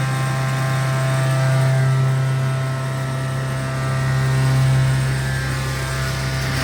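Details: Original Montgomery hydraulic freight elevator at Santa Rosa Plaza, California, poorly maintained: a heavy, steady low pump drone throbs and strains under load, heard from inside the car on the way up. Oil starvation is suspected from struggling before the top floor.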